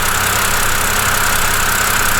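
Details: BMW E90 N52/N51 engine after alternator replacement: smooth, steady idle with a constant even hum and no squeal, chirp or rattle, with 14.4 V alternator output confirming the battery is charging; normal idle.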